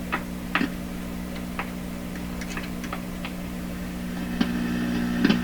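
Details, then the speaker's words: 1929 Victor RE-45 radio, tracing intermittent popping in the detector stage around the #227 tube: steady low hum with irregular crackles and pops; no crackle at the tube grid, and popping is heard when probing near the input. Cause not yet confirmed. "wait we hear some stuff I mean this is stereo for me so it's barely fairly easy even when I only have one year working here can certainly tell what's popping"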